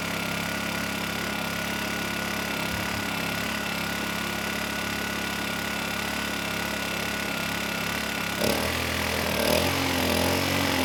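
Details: Kipor KGE 1000Ti 1000 W inverter generator, about 10 years old, with a replacement carburetor: started after about 15 pulls, choke off, ran fairly even, then hunted up and down once eco throttle was turned off. Running lean, surging.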